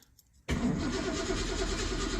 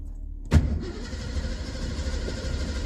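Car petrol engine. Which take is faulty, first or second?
first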